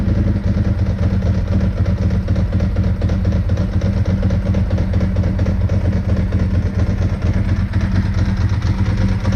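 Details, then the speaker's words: 2002 Ducati 748 V-twin, crashed and neglected, first start after fuel pump and fuel level sender wiring repair and new internal hoses: steady, even lumpy idle with a dry mechanical rattle, no misses; it sounds really nice, running healthy. "will it run successful um sounds really nice very happy with it"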